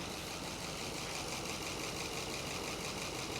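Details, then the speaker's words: 1966 Chrysler Crown Imperial big block, first run after 21 years abandoned: fast, even ticking clatter over a steady idle. Valvetrain clatter, lifters suspected. "You want to come listen to this clatter? Tell me what you think. And don't tell me it's because it's a Mopar."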